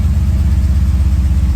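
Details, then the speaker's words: BMW E30 325 with M60 V8 swap, restarted without coolant after moving a pulley that was hitting a heat-shielded hose: now a smooth, steady, even idle with no grinding. "A lot smoother now."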